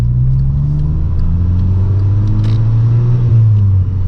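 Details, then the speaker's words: 2012 VW MK6 GTI 2.0T after replacing the leaking factory diverter valve with a Go Fast Bits DV+: pull in second gear from 3,000 rpm, strong and even rising engine note with no stumble, hiss or whistle, more initial punch. Normal turbo acceleration. "So second at 3,000 and oh, it feels way better. Yeah, way more of an initial punch."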